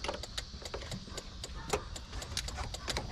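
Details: Nissan 240sx S13 after SR20DET swap, engine off: sharp quick ticking about six clicks a second as injectors keep firing after shutdown; engine had been running rich, igniter swap suspected.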